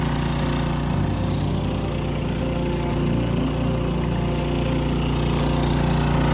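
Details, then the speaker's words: Small-engine water pump rated 158 gallons a minute, timed transferring a full 275-gallon tank at an off-grid homestead: steady, even drone holding constant pitch with no knocks or surging; normal running under load. "I'm gonna turn it on and I'm gonna start my stopwatch. I'm gonna see how long it exactly takes with the pump that does 158 gallons a minute."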